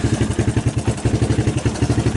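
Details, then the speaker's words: 1987 Suzuki LT230 ATV after winter storage, started on arrival: lumpy, throbbing, soft burbly idle around nine beats a second; running way too rich. "yeah you guys can hear that it's running way too rich"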